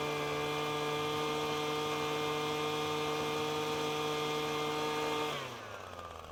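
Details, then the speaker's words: Two-stroke leaf blower, tube blocked against the ground at full throttle while turning the carburetor high-speed screw clockwise: steady, high, even scream with no burbling or breakup until it drops off; clean, smooth two-stroking. "Next, we'll gradually turn that high-speed screw closed (clockwise) until we hear the engine start to run smooth, or in this case, I'm going to refer to it as "two-stroking.""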